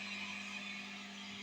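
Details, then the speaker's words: MXR Mini Iso-Brick powering pedals into amp, guitar silent: steady low buzz under constant hiss, hum increased versus without Iso-Brick. "Now, there's definitely an increased hum in there that was not there before."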